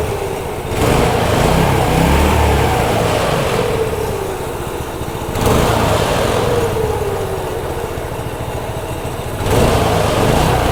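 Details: Brand-new Harbor Freight Predator 212 single-cylinder engine on a homemade 'Franken Stool' build, cold-blooded and slow to start: the thump surges up and settles back three times with the throttle, pulling cleanly and evenly. It is healthy.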